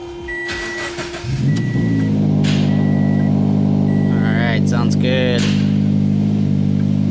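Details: 2013 Scion FR-S with the FA20 boxer engine, just after spark plug replacement, cranks and catches within about a second, then settles into a smooth, even idle with a steady low drone; healthy idle.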